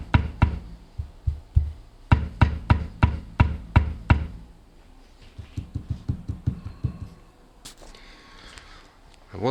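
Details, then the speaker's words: Steering rack knocking, subframe and all bolts confirmed in place, rack disassembled: dull low clunks in uneven bursts, then quieter taps; worn steering rack. "вот мы разобрали рейку вот оно стучит опять"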